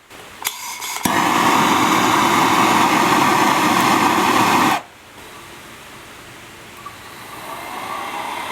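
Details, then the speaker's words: 1977 Hydro Flame HF-16 furnace blower motor, refurbished, bench-run with an ammeter in series (about 8 A start spike, 4.2 A running): spins up within a second to a steady, even whoosh and smooth hum, then cuts off; normal on high. "let's see how many amps this pulls on when it the fan kicks on"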